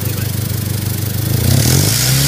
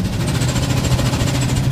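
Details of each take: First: 2000 Honda CR-V with 192,000 miles after replacing a clogged catalytic converter with a new stainless exhaust: revs climb and fall cleanly with no hiss, rattle or restriction. The exhaust sounds healthy. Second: 1999 or 2000 Honda CR-V, 192,000 miles, check engine light on, lack of power, idling: quick light ticking and faint hiss from the exhaust. Exhaust leak past gaskets caused by a clogged catalytic converter.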